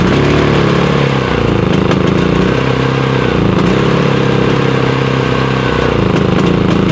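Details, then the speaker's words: Predator 5000 generator running on gasoline: loud, uneven, hunting beat that never smooths out. It backfires on propane but runs the same on both fuels, so the owner suspects a cause common to both, not the fuel. "I'm going to run on gas because when I ran on propane a while ago, it seems to backfire. So, it's not running as well on the on the propane."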